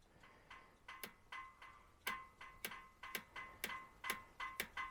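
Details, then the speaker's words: Jaguar XJ12 V12, cold in the workshop with fuel pressure a little low, being checked for a low-speed hesitation. With the engine not running, sharp light injector clicks come in quick irregular bursts, about a dozen in five seconds: normal enrichment pulsing, which may flood it slightly. "i hope you can hear that so so that is extra enrichment while i fire it up so it's gonna probably be a little bit flooded right now"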